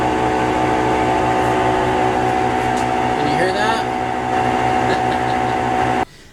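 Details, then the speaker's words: Kenmore Elite Oasis washer in its spin cycle, with a loud steady roar, a droning whine and a rhythmic low throb from completely worn drum bearings, before replacing the bearings and shaft seal. "so you just heard how loud this washer is when it's going through the spin cycle that's an indication that the bearings are completely bad they're completely worn out and making lots of noise"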